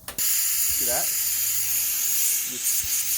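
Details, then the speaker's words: Simadre 5200DX plasma cutter with air source connected, machine switched on: steady, unbroken air hiss from the torch that never shuts off and it won't cut; air solenoid possibly stuck open. "Okay, if I turn the machine on, air just comes out here non-stop, and it won't even cut anymore."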